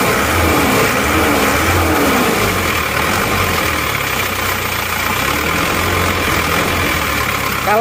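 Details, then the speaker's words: Isuzu Panther diesel with a used replacement block, previously rough, uneven and smoky: harsh clattery running rougher than other Panthers, with shaking at very low rpm; fan belt noise suspected. "emang agak kasar dibanding dengan mobil-mobil Panther yang lainnya ya Jadi kalau kita bandingkan ini suaranya lebih kasar"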